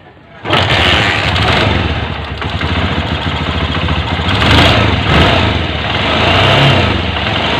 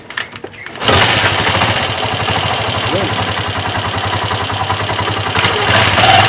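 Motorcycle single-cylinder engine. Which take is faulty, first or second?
second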